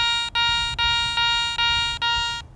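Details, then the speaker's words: Garrett ACE 400i metal detector, iron audio on, bench test over a Roman coin; six crisp identical high beeps about every 0.4 s with no low grunts, a clean non-iron good-target tone. "got a nice clean sound so you can definitely learn from bench testing these same targets"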